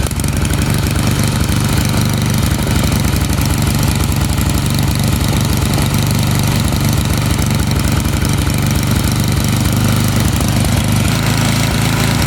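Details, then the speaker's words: Snowblower small engine, carburetor main jet threaded out after leaning to stall; low uneven chugging about three beats a second over a steady drone, main jet set too rich before finding the sweet spot; rich running mixture. "Then I'm going to thread it out until the engine starts to run a little bit rich, and then I'm going to go ahead and find that little sweet spot."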